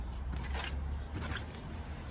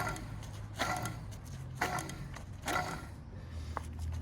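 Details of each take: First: 2010 Mazda3 2.0L, hand-spun front right wheel for comparison: soft swish over low rumble, no buzzing, grinding or coil-spring vibration, unlike the bad front left bearing. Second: 2010 Mazda3, 2.0 L, front left hub spun by hand with the disc removed: low buzzing rumble with gritty rattling bursts about once a second; vibration had grown louder when turning right. Worn front wheel bearing, to be pressed out and replaced.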